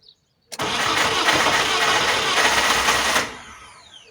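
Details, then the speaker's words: Fiat Punto 188, 1.2 8v engine, crank no start; previously hard to start unless accelerated hard. Starter cranks about four beats a second, uneven lopsided rhythm, almost catches but never starts; suspected low compression on one cylinder. "and almost wanted to start it seems there is missing compression on one cylinder so yeah maybe we have two problems the first problem being a crank no start okay"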